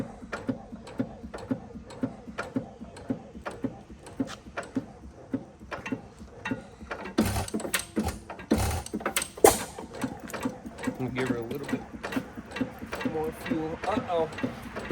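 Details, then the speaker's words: 5 HP Sattley hit-and-miss engine after governor shimming: slight rod knock and pushrod slap, then steady sharp ticking about twice a second that grows louder with fuel. A thrown adjuster pad was suspected but the pad was still there. Governor slap. "I hear a little bit of that. I wonder if we threw a pad out of it. Yeah, we could have."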